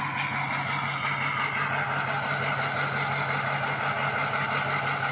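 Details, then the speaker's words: Ford 6.0 diesel idling after 15–20 minutes warm-up and short drive, listened at exhaust: uneven choppy pulse about three beats a second over steady clatter; owner suspects harness issue, unconfirmed. "See, it's choppy. And I was watching another guy's YouTube channel. Uh he was dealing with a 6o and he said that it's not supposed to be choppy. No 6o exhaust is supposed to be choppy."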